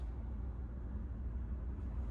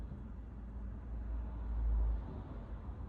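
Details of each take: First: Chevrolet Trax Crossover at idle in Drive at night: deep, steady low drumming hum and vibration reaching the cabin, quiet in Neutral; owner suspects passenger-side engine mount, not confirmed. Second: Chevrolet Trax Crossover idling in Neutral at night: low soft even hum, very quiet, none of the drumming and vibration it has in Drive; owner's complaint is suspected passenger-side engine mount.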